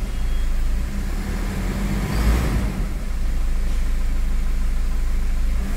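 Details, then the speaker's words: Toyota Fortuner diesel after repair of knocking, white smoke, hard starting and pickup drop; engine revs fully with a deep, even roar, no knock or tapping, running clean; earlier slight missing thought due to oil. "गाड़ी पुरी तरह से race भी हो रही है और हमारा जो लॉकिंग का प्रॉब्लम देखिए वह भी नहीं ए रहा है"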